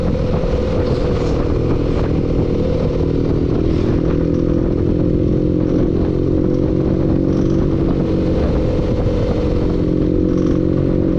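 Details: Engine running steadily with a dense, rapid clatter riding over it throughout; engine knock present, cause unclear.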